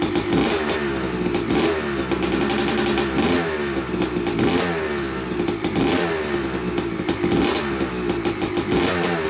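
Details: Yamaha YZ250 two-stroke (270cc/250cc) motocross bike, first start after a full engine rebuild (bottom end, transmission, bearings, clutch, power valve), took a few kicks: crisp crackle with throttle blips, revving freely and picking up cleanly; smoke from assembly oils normal; runs normally.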